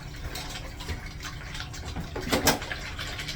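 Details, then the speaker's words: Newly installed 1-gallon-per-flush flushometer valve on a restaurant urinal (kit didn't fit perfectly): water keeps hissing and gushing after the flush and never shuts off. Owner suspects debris clogging the diaphragm orifice. "Let's see if it shuts off. Sometimes you have to doesn't appear to want to shut off, guys."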